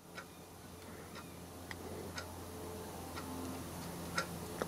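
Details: Horstmann Gear Co. (Bath, England) Mk 2 clockwork timeswitch, 30 amp, 50 cycles, all original: soft, light ticks about one and a half per second in a quiet room; the clockwork timer is running normally.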